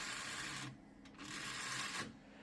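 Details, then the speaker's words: DVD drive in a 1998 Gateway G6-400XL (400 MHz Pentium II) running Windows 98: two sub-second bursts of harsh high buzzing with quiet between; fails to read despite repeated exercising, likely needs replacing. "bad news is that the DVD drive is messing up again no matter how many times I exercise it it just won't work"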